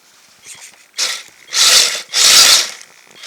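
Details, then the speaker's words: Kyosho Blizzard FR RC snow machine running in fresh snow: irregular harsh, high ratcheting scrapes as snow builds up in the track, stretching it so it rubs the body; the owner thinks the chain may also be slack. "show me guys oh it's rubbing the body that's what that noise is the body is rubbing"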